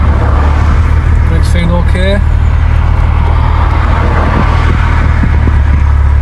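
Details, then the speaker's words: BMW Z3 at road speed after differential work, much quieter than before: low steady drone under heavy road roar, a faint hum rising with speed, slight wobble noted. "Not dead loud, but I definitely hear a soom. It increases the speed."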